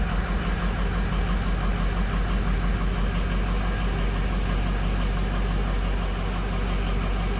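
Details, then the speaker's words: 6.0 diesel truck after oil cooler replacement, coolant flush and both fuel filters changed, just started with oil pressure coming up: even low idle with steady clatter, no misses or knocks; normal idle. "see the oil pressure came up right when it cut off let stay running this time well there it"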